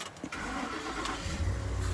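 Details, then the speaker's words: 2010 Ford F-150 with crank-but-no-start (starter spins, engine won't fire) after replacing a rusted fuse 27 and restoring fuel lines: brief crank, then clean catch and even rumble; starts and runs normally. "truck starts so if you're having a problem with your f-150 no crank no start before you get into this check fuse 27"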